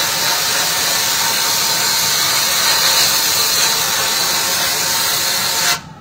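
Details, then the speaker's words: Sandblasting cabinet with a trigger gun. Steady hiss of plain air that cuts off cleanly with no gritty rasp: the gun is starved of abrasive because there is not enough sand in the cabinet. "yeah I apparently don't have enough sand in you don't have enough in there"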